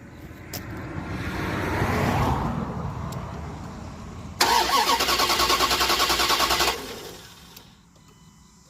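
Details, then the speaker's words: Cold start outside after cleaning rust-clogged injectors: cranks, brief stumble in first beats (normal while fuel rail pressure builds), then settles to even steady idle, no misfire. "and so that was a complete cold start and you notice like that little skip at the beginning that's normal it seems to be smooth now"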